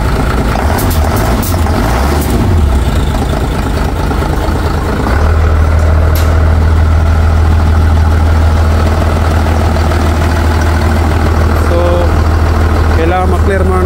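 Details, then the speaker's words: Mitsubishi Fuso Fighter truck, 6M60 diesel, previously wouldn't start (suspected ECU); after accessing ECU: rough, uneven start settling into steady deep even diesel idle; many fault codes still present. "Ignition on. Start. Yun. Umandar na mga par."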